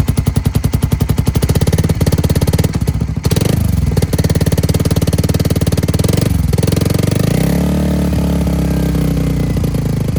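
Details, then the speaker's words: Suzuki Satria injection with a 3-mode DB killer after over 2 years of use, valve open: fast metallic knocking clatter over the single-cylinder idle. Loose metal flap wobbles and the noise stops when held; iron glue failed to fix it. Valve flap rattle. "Nah, kalau Anda dengarkan, saat saya memegangnya, suaranya menghilang. Suara seperti ketukan logam"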